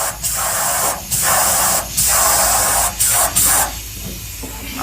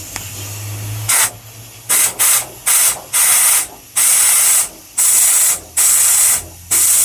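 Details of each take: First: Forgotten Ford F100 fuel line soaked with brake and carburetor cleaner: sharp hissing bursts of air and spray pass straight through in quick pulses; blockage broke loose, fuel line now flowing freely. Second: Long-sitting Ford F100: a dozen sharp bursts of hissing air forced backwards through the fuel line to clear a blockage. The T fitting is clear, so the blockage is from there down toward the tank.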